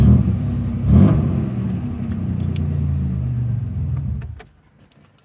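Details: Engine after lower intake manifold gasket replacement, which owner says raised mileage from about 75 to 100–110 miles per half tank: steady, low, even rumble with no misses or stumbles for about four seconds before shutting off; runs clean and healthy.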